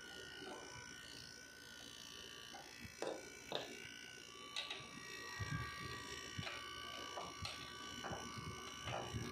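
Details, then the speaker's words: Window-type air conditioner on cool after repair: low even hum with light clicks, the loud drone gone; compressor rubber had been hitting its plate. "so ito na guys yung ating aircon wala na yung kanyang Ugong na malakas na tunog Ayan so tahimik na siya guys"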